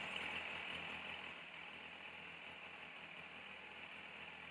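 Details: 2002 Yamaha FZS 1000 Fazer inline-four, warm engine during carburettor synchronisation and TPS adjustment, idle set between 1050 and 1150 rpm: steady even hum, no knocks or misses; smooth healthy idle.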